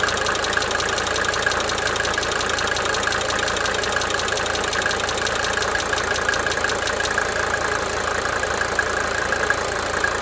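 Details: 1992 Mercedes-Benz 300D 2.5 turbo diesel idling: a steady idle with a light, fast cyclic injector ticking that fades in and out.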